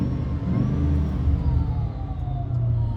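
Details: 2007 Ford Mustang Saleen S281 coupe, 4.6 L supercharged V8, modified, 13,641 miles, no check engine light: deep steady idle with faint thin supercharger whine above it; normal.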